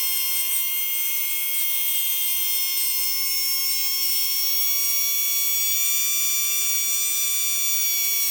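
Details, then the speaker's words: Tamiya Dynatech 01R motor on a manual speed controller, timing advanced from zero: high steady electric whine stays almost the same pitch, rising only over roughly the last three degrees; unclear whether this is a motor fault. "thing and it's like the last three degrees when you get when he turning up to about like roughly the last three degrees when he can hear the RPM increasing"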